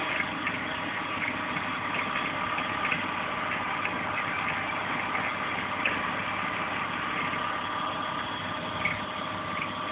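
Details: BMW E36 320i at idle: steady idle with a faint irregular ticking and a thin high tone over it; undefined engine noise, cause not clear.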